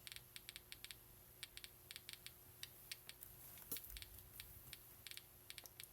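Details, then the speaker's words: Home-built Geiger counter, tube at 465 volts, americium source beside it: sharp random clicks, a few per second, irregularly spaced over a quiet background; counter responding normally. "Alright, so you guys can all hear the Geiger clicks in here, correctly?"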